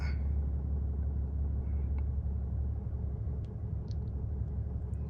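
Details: Ram 6.7 turbo-diesel dually started after oil change with 5W-40, oil life reset; deep, even rumble at idle with no tapping or misfire; healthy.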